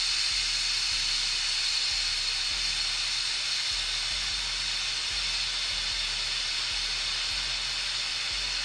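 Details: Autoclave sterilizing pen-style tattoo machine grips, power cut and deflate valve pulled: loud continuous high-pitched steam hiss with faint low thumps, still releasing pressure at about 26 minutes; normal steam venting during depressurization.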